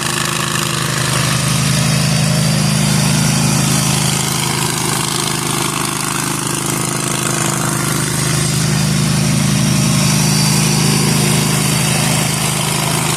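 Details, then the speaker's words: Zero-turn mower test-mowing overgrown grass after maintenance and replacement of the deck spindles and bearings: steady engine under mowing load, even low drone, no bearing squeal or grinding. The new spindles run very quietly and the mower is healthy. "These bearings on these new spindles are so quiet. Like I literally didn't even know if the blades kicked"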